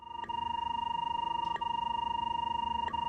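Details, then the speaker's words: RIDGID SeekTech SR-60 line locator tracing: a clean, steady mid-pitched tone pulsing about three times a second with no static, matching a sharp tracing line and low signal distortion. "the audio clarity reflects signal distortion detected by the tracing line when the tracing line appears sharp the audio will sound clear"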